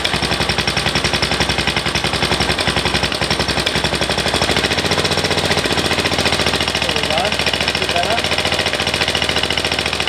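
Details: MTD ride-on mower single-cylinder engine after carburetor rebuild fixing surging: quick, steady popping at raised idle with no hunting or surging.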